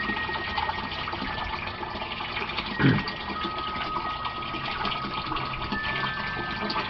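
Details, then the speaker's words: Aquaponics grow bed (gravel, about 25 gallons) draining through siphon back to the catfish tank: steady rushing and gurgling water with one louder gulp, water level low, nearly finished; normal siphon drain. "If you look at that tank, you'll see the dark, the grow bed, the dark is way down at the bottom. That's the water level draining out. We're getting close to the end of the draining out process."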